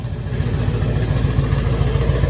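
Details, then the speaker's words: Cadillac, straight-piped, then fitted with two Dynomax valved chambered mufflers, some exhaust leaks. Steady low idle with a tinny "ting" buzz from the valves bouncing open and closed; owner unsure if install angle or worn mufflers. Exhaust rattle at idle. "Well, let's start it up, see how the exhaust sounds. Well, the rattle is still there."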